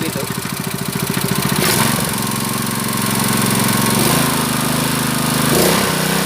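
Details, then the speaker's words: Honda GX160 5.5 hp water pump engine, unused about a year, black spark plug cleaned: runs steadily with a quick even beat and audible governor hunting adjusting speed; sounds healthy, normal running. "The 'dut' sound is so It indicates that the governor is still functioning So it's a function the governor is like that He adjusts the engine speed as needed"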